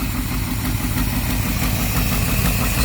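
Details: 1964 Thunderbird V8 idling with a faint light lifter tick over low rumble, slight after moly engine flush and lifter additive, improving.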